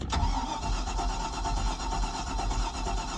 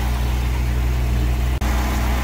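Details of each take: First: Stingray cuddy cabin MerCruiser inboard/outboard after Hurricane Ian, cold, running only about a minute: engine stalls, starter engages, then rough, lumpy low idle; cause unclear, owner says it's not warmed up and usually fires right once warm. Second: Stingray cuddy cabin boat engine, first start after the boat floated in hurricane floodwater: steady, even low rumble with no knocks, misses or rattles; normal idle.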